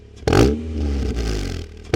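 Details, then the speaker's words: Rebuilt Honda Prelude with aftermarket Apexi exhaust, free-revved from idle: clean rising revs that fall back smoothly, crisp even pulls with no knocks or rattles; healthy engine. "not one of my proudest moments but cuz it's a Honda it sounds pretty good though"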